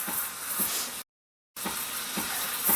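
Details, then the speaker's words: Home espresso machine steam wand frothing half and half in a cup: even airy hiss with soft bubbling sizzle, brief break, then steady again; normal frothing. "now we're done with that cup and I just put it out of the way and I just let this steam blow through the milk or the half and half"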